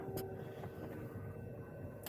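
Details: Fuel pump priming in an ASH-31 motor glider, heard in the cockpit with ignition just switched on and the fuel valve open: a faint, steady electric hum with no stutter or whine, and the fuel pressure light goes out; normal.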